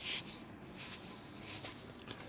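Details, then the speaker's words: Dayton 240V 7-1/2hp shop air compressor motor, shaft turned during repair. A rubber seal was mistakenly put inside, and short bursts of soft scraping scuffs are that seal dragging on the motor shaft for lack of clearance. "So now I take that rubber off and do that. Plus it might cause a little drag in here."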